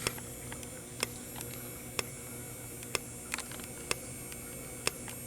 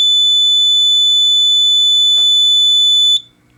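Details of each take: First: Fire alarm strobe during a drill, powered by full-wave rectified rather than filtered DC: steady coarse buzz and faint high whine with a sharp flash click about once a second; harmless to the device. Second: Fire alarm panel lamp test: steady high-pitched continuous tone holds about three seconds then cuts off cleanly; panel sounder works normally.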